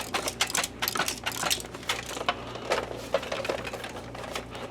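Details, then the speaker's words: Optoma X600 DLP projector that only flashed its LED and wouldn't start: irregular clatters as the case is tipped, from a detached door switch and broken plastic loose inside the casing, likely from a bump in an RV. "There's something in there. I am suspicious. What do I see in here?"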